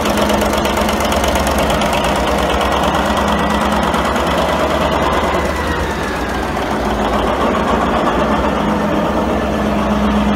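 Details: 1942 Cleveland 8-268A inline 8-cylinder two-stroke Roots-supercharged diesel generator engine, USS Stewart engine room, first start after 72 years idle; heavy, steady clatter at even pace, no misses or surging; normal running.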